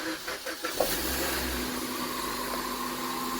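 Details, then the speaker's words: Rebuilt wrecked Suzuki Swift, cold start: short crank, quick catch into steady even fast idle around 1300 rpm, no misses or knocks; normal cold start. "That's alright, isn't it? Straight off the cold. It's idling at, what's that, about 1300 at the moment."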